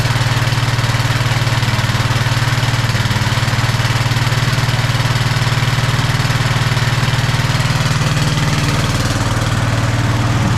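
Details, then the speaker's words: Snapper Yard Cruiser 42-inch zero-turn mower, first start after mouse-nest cleanup on a battery that sounded like it was failing: steady, even single-cylinder-style thump at idle, about 230 beats a minute, no misses or knocks, blowing insulation junk out the back; normal idle. "It seemed like it runs pretty good. It was blowing a little bit of junk out of the backside here."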